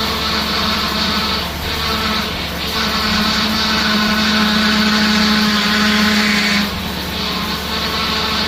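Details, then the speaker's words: 2004 Mustang Cobra V8 just revived after CCRM fix: steady low whine rises, holds several seconds, then drops off while burping air from the power steering by turning the wheel. "Burping the power steering here."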